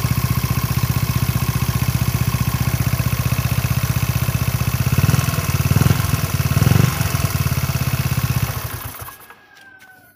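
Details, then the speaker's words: Motorcycle engine at idle with rough, jangling rattle pulsing about four times a second from the crankshaft pulley, missing its rubber damper, then the engine cuts out; crankshaft pulley rattle. "suaranya kembelicik banget enggak enak didengar"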